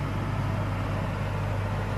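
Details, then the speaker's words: Warranty-replacement caravan air-conditioning unit on auto: mainly soft, constant fan rush with a faint compressor hum in the background and no rattles or pulsing. Normal running, nothing like the old unit, and inaudible outside. "Now, the noise of the replaced unit. I'll put it on auto. So mainly you can hear the fan and just in the background a slight hum of the compressor but"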